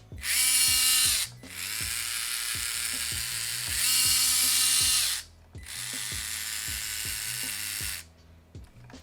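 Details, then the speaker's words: Traxxas TRX-4M with stainless 40.3:1 crawl gears, greased with white lithium, installed: high metallic whine rising and falling with motor speed in short runs; loud versus stock plastic gears. "So it is loud, but it is nice knowing that it's stainless and it's"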